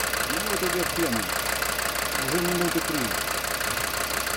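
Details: DB29 diesel at rough idle with revs briefly rising, small bubbles in return line, not purging: fast uneven ticking about three per second; injector knock, likely air in fuel.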